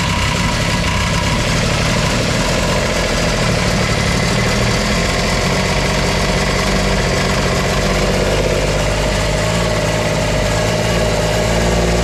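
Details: Kubota RTV900 diesel, sat long, new starter, after glow plugs about 10 seconds and throttle: steady even idle clatter with deep drone after a hard start, smoky; owner suspects fuel bleeding off.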